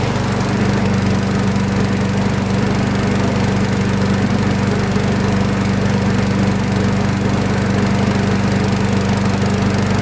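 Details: Craftsman flathead front-wheel-drive mower, plug reads lean, drive belt just untwisted after metal chunk lodged in crankshaft pulley V: steady drone at constant speed, slightly soft and hollow, no drag or bogging; still running a touch lean, cause suspected, not confirmed.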